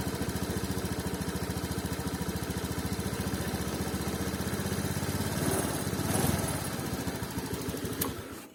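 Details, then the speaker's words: Honda Scoopy 2019 fuel-injected scooter: intermittent ragged stumble at low rpm as the throttle first opens, despite ECM reset and TP setting already done; cause not yet found. "ya suaranya ketika awal gas ada sedikit brebet kadang kala terjadi kadang ndak"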